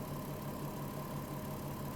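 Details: VW Touareg with a low oil pressure warning, bonnet open after about 25 km in an hour with two HC-oil-based flushes added: even low idle pulse, about six beats a second, no knock or tick; engine idles cleanly.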